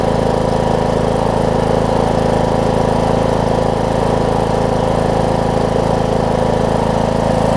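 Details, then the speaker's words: John Deere D105 riding mower, 62 hours, sat unused for an unknown time, just started after fuel reached the fuel pump: even, steady idle thrum with a regular low pulse and no stumbling while warming up; normal idle. "It was that easy. Down to let it warm up. That's all it took. That thing almost started right up."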